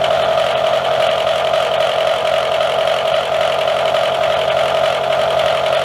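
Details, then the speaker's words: Drillpro 4-flute 400R 50mm face mill with APMT1604 carbide inserts on R8 arbor: loud, sustained ringing squeal over the spindle noise throughout the pass; heavy chatter, nasty surface finish compared with the other insert. "Seemed to do pretty good on that pass. A lot of chatter. Do have a nice cross pattern, but you can hear it, and the surface finish is pretty nasty compared to what the other insert did."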